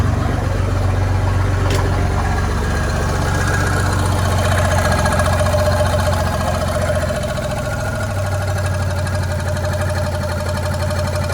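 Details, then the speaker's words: Chevy 4.3L V6 swapped into a Willys Jeep CJ5, timing set about 4° before top dead center: even, settled idle with steady low pulse, no misfire or pinging; a tab may rub the bottom pulley; normal idle. "I'll fire it up you can see how much R how much better it runs see the oil pressure and everything"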